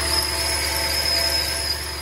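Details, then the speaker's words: 2014 Toyota Tundra 5.7L V8 iForce at idle: constant high-pitched squeal from the belt drive, suspected belt or pulley bearing; found to be a worn drive belt tensioner, replaced along with the drive belt. "let's get it it's gonna sounds like from the belt or um a bearing or we're going to diagnose it and see if we can replace the pulley or the belt"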